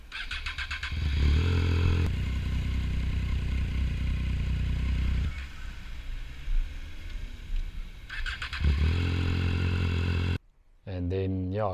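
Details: Triumph Street Triple 675R while riding: the engine runs steady, then drops dead for a moment and fires back up. The owner suspected the kill switch or kickstand switch.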